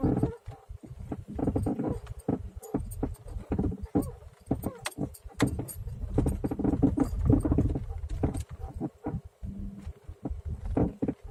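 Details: Legnum suspension knock and squeak: irregular dull knocks and short creaks with car movement; straight ones new, upper ones used, no stabilizer bar; owner asks whether the crooked ball joints could knock and squeak like this.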